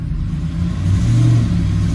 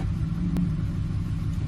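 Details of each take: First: 2007 Ford F-150 5.4L 3-valve V8 after fixing the loose cylinder 2 spark plug behind a P0302 misfire, in gear and brake-torqued to stress it; coil still distrusted. Strong, even deep drone rising and falling with no stumble; dead misfire gone. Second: 2007 Ford F-150 5.4L 3-valve V8 idling with P0302 dead misfire on cylinder 2 (second back, passenger side), present at idle or load, fuel smell; low uneven lumpy stumbling rumble, traced to a loose spark plug.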